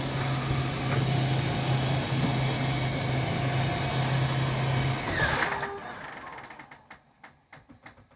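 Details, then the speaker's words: RV slide-out extending after a small spray of lube on the gib and wheel, on shore power with the battery at 50%, about 80°F; steady, smooth motor hum for about five seconds with no popping, then light clicks as it stops; it used to crack and pop badly; normal operation. "it only takes a tiny little bit you can hear how smooth that [Music] is nice and smooth"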